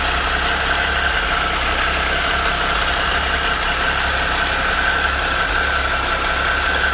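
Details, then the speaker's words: 2013 Triumph Tiger Explorer, 34,000 km, after replacing cam chain, hydraulic tensioner and exhaust header gaskets: steady, even idle with only a light fine valve tick, no excessive ticking; normal idle. "so right now the engine is very less noisy and it doesn't make any like excessive ticking noise after this this replacement"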